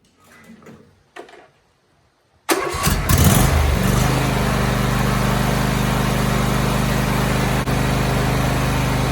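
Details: Briggs and Stratton riding lawn mower engine, first start after a fresh oil change (10W-30), new oil filter, air filter and fuel filter: silence, a crank, then it catches and settles into a steady, even idle with no knocks or misses.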